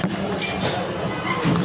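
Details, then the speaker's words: Panasonic 8 kg washing machine with E10 error (no water intake), after replacing faulty inlet valve with one from another machine: steady churning and even sloshing, no knocks or squeals; normal wash agitation. "अभी ये पानी ले रही है और चल भी रही है।"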